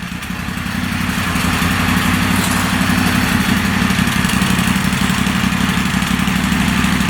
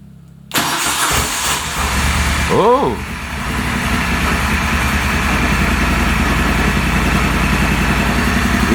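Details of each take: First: Moto Guzzi Stelvio replacement engine, first start after sitting six to seven years, running without an air box and charging at 13 volts with some smoke: even twin-cylinder idle with no knocks or misses. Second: Replacement engine in a Moto Guzzi Stelvio, first start after sitting six to seven years: starter spins, the engine coughs and catches, then settles into a lumpy, uneven idle; no oil leaks seen so far.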